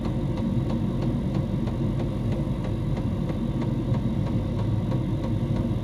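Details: Diesel heater in a homemade fox box at full temperature, 87 °C at the heater pipe outlet: steady low hum with light even tick about three times a second; running normally at full output.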